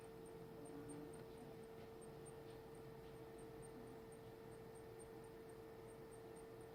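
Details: Computer: faint, rapid, high chirps repeating intermittently over a steady low hum and fan hiss; dusting everything and spraying the cooling fans did not change it, so the source is unknown.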